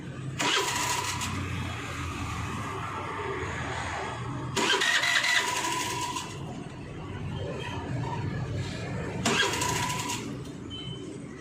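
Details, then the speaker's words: Hero Maestro Edge BS6 scooter cranked repeatedly, barely catching and dying, hard starting with stalling under throttle. "நம்ம எவ்வளவு start பண்ண முயற்சி பண்ணாலும் ரொம்ப ஸ்டார்ட் ஆகுறதுக்கே லேட் ஆகும்"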